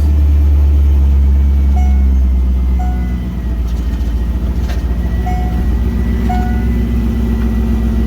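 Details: Drift Corvette V8 first start, about 50 psi oil pressure at idle: deep loping rumble settling into an even idle beat with no knocks or rattles; normal idle.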